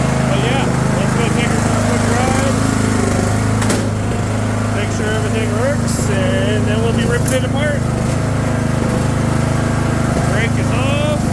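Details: Craftsman II lawn tractor with swapped-in newer single-cylinder engine, bad key switch: steady, even chug at constant speed, no misses; running normally.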